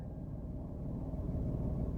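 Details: Small car in neutral with the fan off: a low, soft, steady rumble with no knocks, ticks or surging, just an even light idle; gear lever barely moves; this small engine sounds healthy; normal idle.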